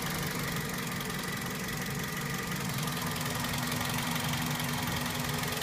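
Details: 2004 Toyota Celica GT at idle: steady fast tick about two to three per second over even idle, sounds like top-end tick, cause unclear.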